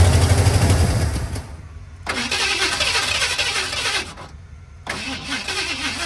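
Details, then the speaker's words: 1978 Ford F-150 plow truck, sat about a year, rebuilt carburetor after bad gas, weak battery: long bursts of cranking about three turns a second, pausing between tries, never starting; extended cranking, no start, cause unconfirmed. "it almost came to life right there I let off the key cuz I thought it was going to going to do it again this thing will run [Music] again"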